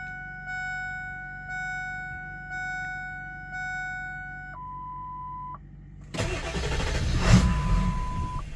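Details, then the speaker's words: Ford 7.3 Powerstroke that was running fine then shut off as if the key were turned: key-on chimes, then labored cranking that never catches, tachometer not moving while cranking; owner suspects a bad cam position sensor. "Oh, see how the tackometer didn't move when it was cranking? I think that's what's going on."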